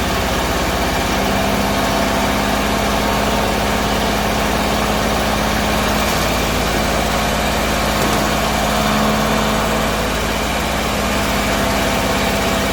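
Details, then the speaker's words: Bedford CA (Rambo) being revived on a freezing −2° morning: loud, uneven idle with a lumpy, irregular beat; owner suspects too much fuel from somewhere, cause unconfirmed. "yeah well it runs so now we've got to make it run right because it's running like a sack of potatoes falling off the back of the lorry"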